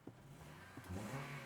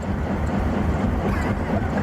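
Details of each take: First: Honda CR-V after repair for low power, unable to exceed 40 mph, DTC P0507: petrol engine idles and revs smoothly and cleanly with no misfire or stumble, now sounding normal. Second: Honda CR-V with low power that can't exceed 40 mph, code P2646 rocker arm oil control system A bank 1 stuck off: deep droning train-like rumble with a steady low pulse while driving. The VVT solenoid/block needs replacing.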